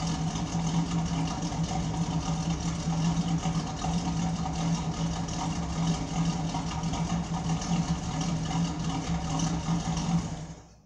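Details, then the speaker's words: 1972 Pontiac Firebird Trans Am V8 after replacing a muffler blown apart when the engine was loading up with gas: deep, steady idle burble with even drone, no rasp or blatting; exhaust sealed, normal note, better than before. "it's better than what I had"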